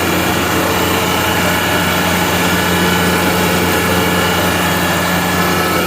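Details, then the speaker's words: Gardner Denver Electra Screw EBE99K, 24,873 hours, freshly serviced, after auto restart climbing past 59 psi: steady even drone with constant tones, no knocks or rattles; normal running under load. "Good exhaust coming through the cooler here. Very nice airstream. See, the unit is already back up to 59 psi and climbing."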